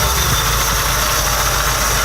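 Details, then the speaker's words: Porsche 944 after engine swap, running after reassembly: loud, hissy idle that won't smooth out; carb cleaner spray changes idle, intake likely not torqued down, suspected intake gasket vacuum leak. "I decided to go with the old trick of finding vacuum leaks lifted some car cleaner but we realized every time you spray or Runner the idle changes"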